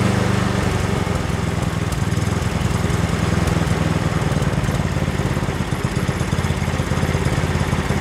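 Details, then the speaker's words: Yardworks 27-inch two-stage snowblower, bought rough, pull-started because the electric starter seems dead: the single-cylinder engine holds a steady even chug of about 3.5 beats per second. It runs, but the drive still has faults, as R1 creeps forward. "all right guys so that's uh that's good here we got this thing up and running"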